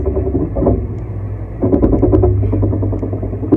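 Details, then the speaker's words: 2016 Toyota Land Cruiser off-road with crawl control engaged and no foot on the pedals: engine idle under uneven rapid clunking and buzzing, about three a second, seemingly from the rear. This is normal crawl control operation. "Does it sound as bad as... Yes, it does. It sounds like little dwarves are working inside."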